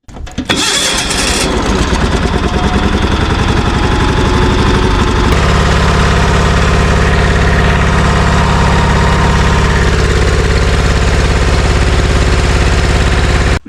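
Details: John Deere 316 riding mower with Onan B43 twin, started right after a yearly oil change: it cranks briefly, catches at once and settles into a steady, even idle with no knocks or misses. Normal start and idle.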